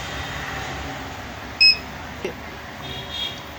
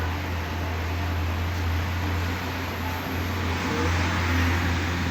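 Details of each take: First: Luminous Hercules 1600 inverter running on battery only, with a new card already fitted and voltages checked fine: one sharp high-pitched beep over a quiet background. The warning alarm was traced to a bad rear connector. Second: Luminous Hercules 1600 12V inverter on battery after removing a connector to cure a continuous beep on battery, mains and charging: steady low hum with faint fan hiss, no beeping. Finding: normal running, no warning beep.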